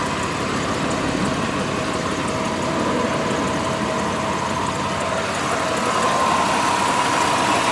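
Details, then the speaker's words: 1999 Mitsubishi Montero Sport XLS, 3.0 L 24-valve V6, 160,830 miles, no check engine light, possible leaky valve cover gasket; smooth, even idle hum with no ticking, knocking or belt squeal; healthy engine. "There's no high rev knock. There's absolutely no valve train noise, no squealing, no squeaking, no crazy sounds."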